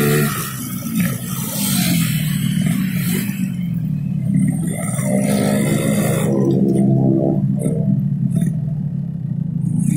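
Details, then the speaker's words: Yamaha RX King carburettor bike ridden at about 60 km/h and above: exhaust beat ragged and stuttering instead of a crisp even buzz, and louder; rich running from an oversized main jet. "itu tadi ya Lur kondisi dimana saat Hai main-jet terlalu besar ya itu suara motor kalau kita apa berjalan atau lari di kecepatan ya sekitar 60 keatas itu suara motor tuh bukannya ini tapi berebut jalur bukannya apa sih normal tapi malah bet dan cenderung lebih kencang ya suaranya"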